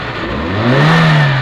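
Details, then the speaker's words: Suzuki Liana M13 after the ignition-coil misfire and rpm-fluctuation repair, AC on: on a quick blip the pitch rises and falls cleanly with no stumble, hunting or humming; the ignition is now firing evenly. "Move हो रहा है और engine में बिल्कुल ठहराव है किसी किस्म की हमिंग नहीं ए रही है"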